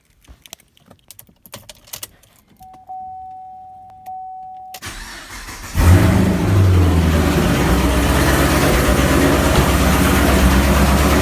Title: L99 camaro SS lifter tick